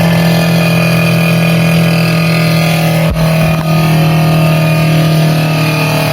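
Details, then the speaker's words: Brastemp BRE57AB Inverter Duplex Ative 443 L frost-free refrigerator: loud, steady droning whir with a hard edge as the evaporator fan blade strikes ice built up around it; the fan was close to jamming and burning out. "ela chegou num ponto que ela já tava querendo travar ela ela ia começar a travar agora e simplesmente trancar esse ventilador e acabava queimando"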